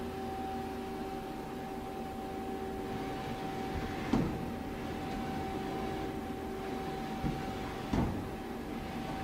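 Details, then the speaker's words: 2010 Mighty Viper VT36CL-1500 CNC lathe with a 12-station turret, after spindle runs at 200-460 RPM; steady servo hum with soft clunks as the slide starts and stops; Z and X axis travel sound good. "Z-axis sounds good. So does X."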